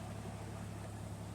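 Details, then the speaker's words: 1989 Ford Ranger GT 2.9 V6 at 89,500 miles, started after sitting overnight for a fluid leak test: fires right up into a steady, even low hum with no ticks or knocks; normal idle. "see guys this thing fires up better than most new vehicles that I've had honestly no issue no issues fires right up and this very second I sounds good bur like a kitten no knocks no ticks sounds like a brand new 35 year old 2.9 V6"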